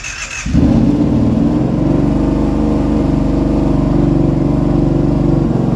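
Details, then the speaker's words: Kawasaki Brute Force engine reassembled after failed Caltric camshaft replaced, first start: steady, fast, even beat well above normal tickover with no knocks or misses; idle set too high, to be adjusted down, otherwise sounds much better and starts easier. "High idle, we're going to adjust that down manually on that side, but it sounds way better."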